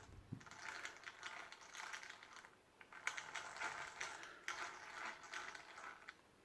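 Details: A959B RC car after swapping to all-metal gearing through to the differential, with the original plastic casing and plastic diff case; gears are only hand-meshed so far. Light, even gear whirr in short bursts with no grinding; a normal, healthy drivetrain.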